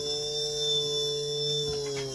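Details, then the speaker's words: JUGS BP-3 controller board 180-2406-0 after motor channel repair: steady even motor whine that rises with the speed knob, briefly overshoots then corrects, no grinding; channel confirmed good, motor running normally. "As I turn higher, it also increases. So that channel is good."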